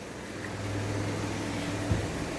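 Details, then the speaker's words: 1995 Toyota Tercel idling in gear with the parking brake on and under load, after new CV axles and drive seals; a steady low droning hum with the whole car shaking, as if no engine mounts were left, engine vibration under load of unclear cause. "you can feel it it's just like you have no motor mounts left and car's just shaking"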